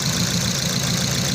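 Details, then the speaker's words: Toyota Vios with hard starting and stalling, after repair and cleaning of the computer box (ECU): now starts and holds a steady, even idle with no misses or stumbles; running normally. "Ayan mga ka idol umandar na natapos na yung repair ng repair and cleaning ng computer box sinalpak natin umandar na siya"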